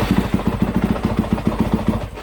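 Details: 2019 Yamaha YZ250F electric-start single, currently running before won't-start demonstrations: crisp, even thumping about eight beats a second, steady rhythm, no misses or knocks, then shut off; normal idle.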